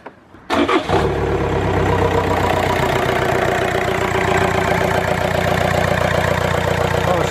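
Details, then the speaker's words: VW Sharan 1.9 TDI diesel restarting after Mr Muscle oven-cleaner foam (sodium hydroxide) was sprayed down the air intake to decarbonize EGR valve, cooler and inlet manifold: brief crank, catches at once, steady even idle with no misfire; normal start and idle. "Oh, it seems to have started up okay."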